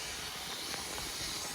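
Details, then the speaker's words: Junkyard SN95 Mustang with a cheap eBay radiator and a miswired twin-fan shroud, overheated; constant sharp, high hiss with no engine rhythm as steam escapes the cooling system. "oh my God that's [ __ ] high that's [ __ ] hot oh look at all that fluid"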